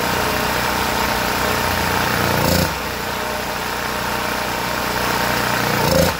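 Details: Generac GP1500 generator whose gummed Huayi carburetor was cleaned after sitting with fuel, previously surging and not starting: the small engine runs at a fairly even speed with only slight swells and no hunting, running steadily.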